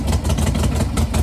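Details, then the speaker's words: 1998 Harley Sportster, unrun for 2-3 years, revived: lumpy, loping V-twin potato beat at steady low idle with no ticks or knocks; running healthy. "That bad boy. Runs some good."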